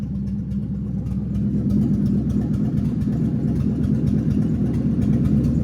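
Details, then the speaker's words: Ford Mustang drift car V8 with H-pipe exhaust section removed: deep, loud, lumpy unmuffled burble at idle with uneven bubbling pulses, sounding like it's missing; misfire suspected, not confirmed. "Dude, this thing sounds like it's missing its ass off."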